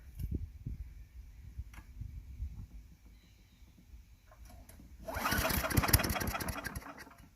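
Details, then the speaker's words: Craftsman Eager 1 4hp chipper vac (987.799790), first start on a little fresh gas, carb possibly needing cleaning: sputters on weak pulls, catches with rough burst, dies; owner primes more. Stalling after start. "See if we can prime it a little bit. Prime it some more. See, because it's stalling."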